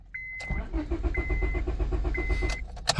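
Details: 2001 Honda Civic, no green key light in instrument cluster: even starter chugging with repeating chime, engine never fires; cranks but won't start, immobilizer suspected, later programmed.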